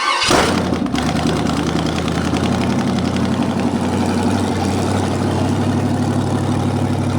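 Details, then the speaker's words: '73 Chevy 350 small-block V8 with a new piston and rod, big cam and fuelie heads, first start after final assembly with valves not yet adjusted: starts quickly into a smooth, steady idle with an even burble and no knocks. Healthy. "yeah it's done considering that you know valves ain't really set no I mean I couldn't ask for more"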